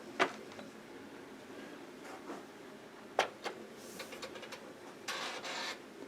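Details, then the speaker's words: Commodore 1571 floppy drive searching discs. In a quiet room, sparse sharp clacks and brief buzzy sweeps come every second or so as the head moves back and forth without finding any data. "yeah you can tell when the head goes back and forth that it ain't finding nothing"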